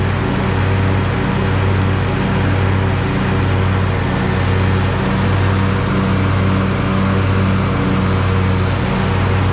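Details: Husqvarna riding mower after repair of a ruined mowing deck and the worn idler pulley to the transmission: deep, even V-twin drone with a steady pulse and no knocks or rattles; runs smooth and quiet.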